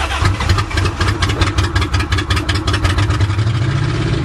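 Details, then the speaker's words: Van engine started after being hydrolocked from driving into water, intake manifold removed to drain water, some water possibly still inside: starter churns in uneven pulses, then it catches and settles into a steady low idle; engine starts and runs. "yes it's alive it's alive"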